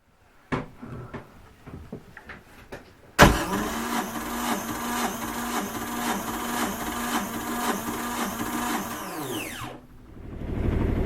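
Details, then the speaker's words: 1978 Yanmar YSB8 marine diesel, sat 10+ years in a flooded boat, after re-bleeding the fuel system: a few cranks, then it fires and holds an even, steady idle; first run in years, needed a little more throttle. "All right, there we go. It's running nicely. It's idling nicely, apparently. And it just needs a little more throttle than I gave it the first time."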